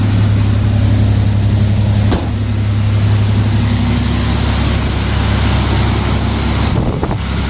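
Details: 1994 Toyota T100 after the misfire fix, with the wires zip-tied into their holders: steady, even run with a smooth low drone and no stumble or miss. Sounds healthy.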